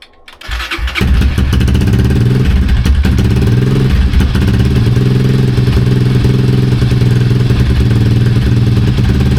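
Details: Honda CRF230 single-cylinder, first start after an oil change and air filter clean: it fires within a second and settles into a steady, even thump with no knocks or rattles. It starts and idles healthy.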